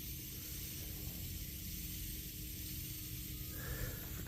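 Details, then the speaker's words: Hyster forklift hydraulic cylinder pressurized with air at 140 psi: steady hiss over low rumble with a thin whistle near the end, air escaping through the crack; the sound change locates it for gouging before welding. "the change in sound from the air. And that's how you identify where exactly the crack is and if you got to keep gouging."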